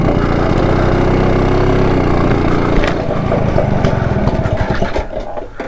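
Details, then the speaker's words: BSA D7 Bantam two-stroke after ignition timing adjustment: it pops along unevenly for a few seconds, then the beat thins and it stalls. Owner thinks timing is now better and suspects the carburettor. "and it Cooks out so there you go"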